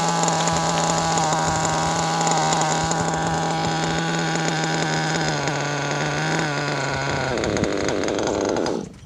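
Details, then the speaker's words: RB-modded Nova 28.8 Teckno nitro two-stroke on about an 80°F day, engine still cold: a high steady scream wavers, sags and bogs out, sounding rich; the owner suspects the clutch valve has come loose again, not confirmed. "That didn't sound good at all. That sounded a little rich there, people."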